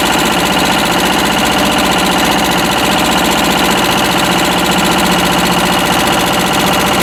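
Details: Westwood lawn tractor's Ruggerini twin-cylinder air-cooled vertical-shaft diesel, previously hydrolocked, after repair; loud, busy clatter at steady speed, firing evenly with no knock standing out, running properly.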